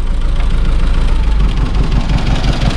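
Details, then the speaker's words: 1991 Dacia 1310 Break, first start after many years unused and now warmed up: a low, fairly steady idle rumble, slightly uneven firing, no clear knock. The engine idles acceptably. "Bă, dar ce bine merge, ești nebun la cap. Bă, deci pentru atâția ani de nepornită, merge țiplă, bă."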